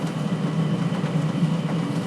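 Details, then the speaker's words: 12V/24V/240V diesel air heater running at full power drawing 40 watts: even low rumbling roar with soft flutter, no knocks or squeals; burning cleanly, normal; rain noise in background. "okay so it totally absolutely runs oh so running a full power and it is pulling 40 watts which is about the same as every other four kilowatt here pulls uh when it's running normally"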